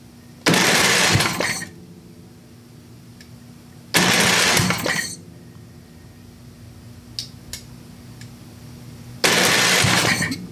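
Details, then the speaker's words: Craftsman 27-inch snowblower, Briggs & Stratton 8hp OHV engine, dry engine being revived: three short cranking bursts with silence between, never fires, starter keeps cutting out; debris found in cylinder, starter suspected, unconfirmed. "well went off yes it just keeps doing that i think something just about happened"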